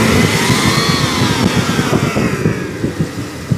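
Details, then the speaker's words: Tow truck with a newly fitted severe-duty fan clutch, replaced over transmission overheating: heavy rushing air roar swelling with revs, like a Boeing taking off, easing as revs fall; normal engaged fan clutch roar. "So it sounds like a Boeing about to take off."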